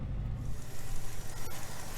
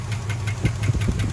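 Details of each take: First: 1976 Dodge Dart Sport, 318 V8, four-speed, after earlier loud clacking like a collapsed lifter: a low, even V8 idle rumble with only a faint trace of top-end clatter; oil pressure light came on; normal idle. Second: 1976 Dodge Dart 318 V8, fired up after long sitting and with a new battery: sharp, regular clacks about five or six a second over a rough idle, a loud top-end valvetrain clatter. A collapsed lifter is suspected.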